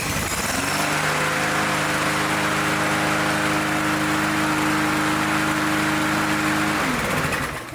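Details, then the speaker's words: Snapper mower with a Briggs & Stratton engine on its RC12YC long-reach spark plug: fires up quickly and settles into a steady, even drone with no misses or surging; runs normally before the plug swap. "So I'm going to go ahead and start it up and show you that this mower runs."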